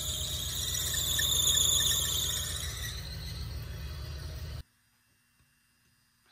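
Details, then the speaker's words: 1987 Chevrolet Camaro Z28 V8, parked nearly 30 years, first runs after revival: loud steady high-pitched accessory belt squeal over idle, fading as revs drop; alternator pulley red hot, belt tight yet slipping; owner suspects alternator going full field, air pump ruled out. "oh no why is that slipping so the alternator must be going full field because the pulley is Red Hot and It's someone's slipping the belt is tight"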